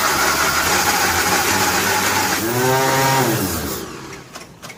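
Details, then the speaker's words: 1957 Nash Metropolitan barn find, sitting many years, manual choke: long steady cranking, then engine briefly catches and revs unevenly before dying; no-start from crossed 3 and 4 spark plug wires. "um wheel surprise a little bit that it didn't just run but it's not far from it"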